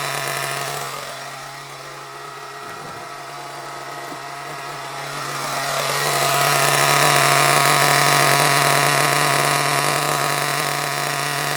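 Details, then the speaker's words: Hobao Hyper ST nitro truggy with a glow plug fitted, just after first start: a steady high buzz climbs and screams higher as it leans out. Owner suspects the fuel tank is causing the intermittent lean running and plans to fit a new tank. "I think there's a bit of an issue with the tank I think I'll definitely put that new tank on because what I've noticed is it'll run absolutely fine for a bit and then it'll start to sort of go did you run a little bit lean"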